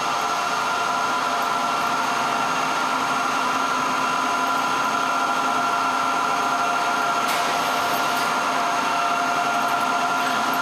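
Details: 1924 Alexanderson alternator SAQ at Grimeton during startup, driving motor at about 700 speed and 2300 volts, alternator magnetized, frequency near 15.3 to 16 kHz: steady high-pitched whine over an even hum, running smoothly.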